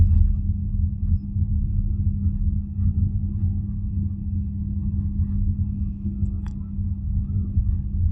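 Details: BYD Atto 3 at 20–32 km/h, in cabin: steady low hum and rumble, a strange humming drone on top of the low-speed pedestrian warning sound.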